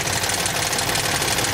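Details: 2007 Toyota Tundra 5.7L 3UR-FE V8, 205,000 miles, cold start: busy sharp metallic ticking and rattling on bank 1, appeared after a disconnected connector on first startup per owner; cause unconfirmed, hydraulic tensioner suspected.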